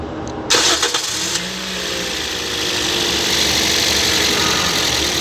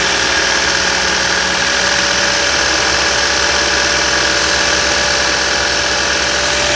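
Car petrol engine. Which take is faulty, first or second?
second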